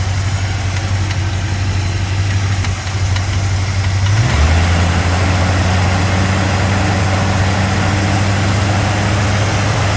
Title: 289 rattle noise from fan area on cold start up.